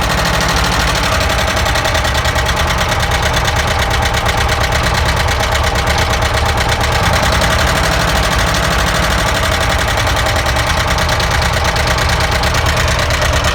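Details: ZAZ engine knock, checked by pulling spark plug caps: rough idle with a steady, repetitive knock riding over the engine; source not yet pinned down.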